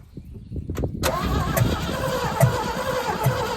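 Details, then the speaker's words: 1974 GMC 6000 truck parked for 22 years, on a new battery with fuel splashed into the carburetor: the starter cranks noticeably faster at a steady beat with uneven chuffs, possibly some firing, but it never runs on its own. "That's a little faster. It's a faster turn. A lot faster."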